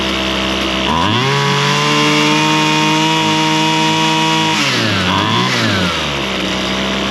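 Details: Husqvarna straight-shaft string trimmer, two-stroke, after carburetor high and low screw adjustment (likely long unused, diaphragm suspected snug); crisp rise to steady high-rev howl, drops back and blips cleanly with no stumble. Normal running.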